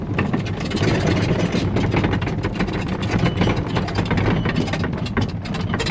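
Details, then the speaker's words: Coleman golf cart driving: constant loose clatter of sharp ticks from the roof bouncing against the metal frame at metal washers and nuts; fixed by fitting rubber washers between roof plastic and frame at every bolt. "Chances are you hear a lot of rattling. And in this video, I'm going to show you what to do to fix it. Now all that rattling happens because this roof is mounted to this frame with a bunch of metal washers, metal nuts, and when the roof kind of bounces against the metal frame, that's what makes most of the racket."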